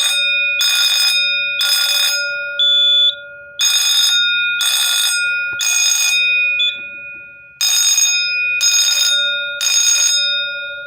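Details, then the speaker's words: Simplex 4005 fire alarm panel, bought listed as not working and now running, set to code three and tripped by pulling the pull station. A loud bell rings in rounds of three strokes with clear pauses; a clean, steady code three pattern. "so the system set the code three i'm just gonna go ahead and pull the pull station and uh get this show going"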